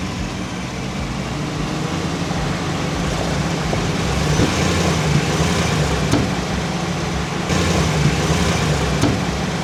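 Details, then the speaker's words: 2021 Chevrolet Silverado 1500 Custom Trail Boss with 4" BDS lift, microphone on the front steering knuckle, wheel turned back and forth: a few heavy, irregular clunks over a low rumble from a broken steering rack. "So I think I got a couple good clunks out of it. We'll see what comes through on video, but yeah, basically going back and forth, turning the wheel, there's a big old clunk, and it's pretty cool."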